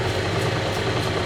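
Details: Vintage Lortone NS/8 8-inch-wheel lapidary arbor, first run with water on: uneven low rumble with faint pulsing throb under water splash from a distorted drive belt shaking the machine; owner hopes belt reforms with use and heat.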